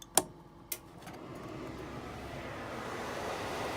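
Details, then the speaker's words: Jayco Jay Series popup camper LP-gas furnace, thermostat switched on with grate off: two light clicks, then a smooth airy whoosh building over a few seconds as the blower fan starts normally, before ignition ticking. "Hear the fan come on."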